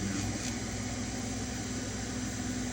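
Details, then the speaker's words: Elegoo Neptune 4 Max 3D printer printing: steady motor whir with a rapid, buzzy rattle underneath. A print blob cracked plastic on the printer's bottom side, and the cracked housing rattles. "what happened is the blob cracked some of the plastic down here on the bottom side and so you hear that rattling right"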